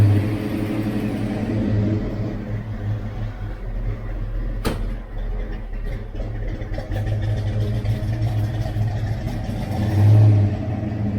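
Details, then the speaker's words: Fox-body car not run in a long time: a deep V8 idle with a slightly uneven lope and a brief rev. It is a little rough from exhaust header leaks, with no tapping or knocking and the starter sounding good. New bolts and gaskets are planned. "the cars not been running in a long time so you know as you can hear a little rough we do have some header leaks"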